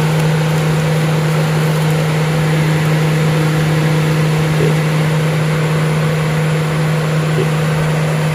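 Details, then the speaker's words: Remote-switched electric radiator fan running off the battery, which drops from 12.5 V to 12.3 V while it runs: a steady, even hum with rushing airflow and no rattle or scrape; the fan runs healthy. "Dia tekan on, kipas berpusing lah, atau boleh dengar."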